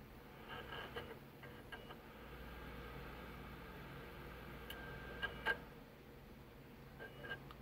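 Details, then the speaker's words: Panasonic DMP-BD80 Blu-ray player that fails to read some Blu-ray discs: faint, uneven ticks and whirs as the disc loads and the head keeps hunting; worn laser pickup. "it makes weird noises i don't know if you can hear it but the laser pickup um it's hesitating"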